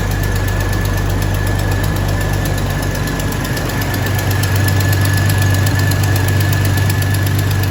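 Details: 2000 Jeep Cherokee Sport XJ first start after a new head gasket, thermostat and housing, and valve cover and manifold gaskets (old gasket failed, overheating): lumpy, uneven idle with a loping beat about four per second over a heavy hum; still running rough.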